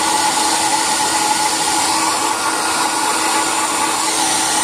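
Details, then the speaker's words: Iconic hair dryer after replacing the burnt-out motor with a new one: steady high-pitched whir with even rushing airflow and constant motor tone; runs normally. "इसके जगह पे हम लोग अभी iconic का बहुत ही अच्छा मोटर लगाए हैं और ये पूरी तरह से ठीक हो गया है।"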